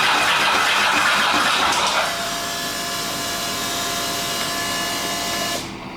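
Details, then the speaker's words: Custom land-speed motorcycle with rebuilt turbo Ducati 998cc engine, first start-up: revs flare and hang high as a steady roar instead of dropping back, throttle butterfly sticking open; oil pressure warning shown afterwards, cause unknown. "Sticky throttle. Maybe someone's not happy."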